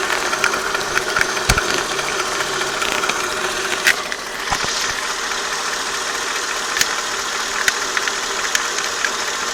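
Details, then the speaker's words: Mercedes S430 W220 M113 V8 idling warm with a faint, sharp intermittent tick-knock on the left side; absent cold, eases with light throttle; present for about 3 years despite oil changes (0W40 to 5W50) and a new harmonic balancer; cause unclear. "When cold, on the cold start, there is no knocking noise, but as soon as it gets warmed up, you'll hear a slight knock on the left side."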